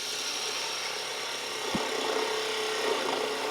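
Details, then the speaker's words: Wood lathe turning a finial; the scraping cut gains a thin ringing buzz when too heavy a cut is taken on a thin section; tool chatter from too heavy a cut. "When I start taking too heavy a cut, it starts to chatter."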